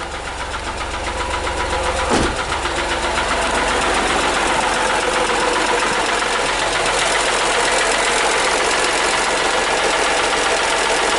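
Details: Hyundai Matrix 1.5 CRDI diesel idling right after new hydraulic lifters were fitted: a steady metallic ticking about four per second over the idle while the lifters are still bleeding and filling with oil.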